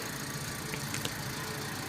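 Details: Daihatsu Sigra with steering heavy and battery warning light on, after alternator replacement: steady smooth idle, no knocks or misses, charging 14.9 V and warning light off; normal.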